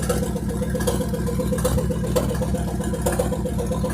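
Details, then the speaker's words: Abandoned 1957 GMC truck, warm after running following its first start in 40 years and an oil pump fix. It ticks over at a steady, even idle with a regular soft pulse and no knocks. Normal warm idle. "rything but uh yeah it's working the engine's running i'm gonna let it run for another 10-15 minutes"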